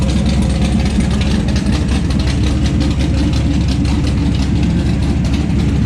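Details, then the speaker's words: 1970 Plymouth Barracuda with a freshly built 400-block 512 big-block stroker (Trick Flow 240 heads, cam, intake), after initially refusing to idle: a deep, steady rumble with no stumbling or surging, now idling on its own. Needs some tuning. "So we got some little tuning to do here, but it's a runner. Yeah. There we go. Now it's idling on its own."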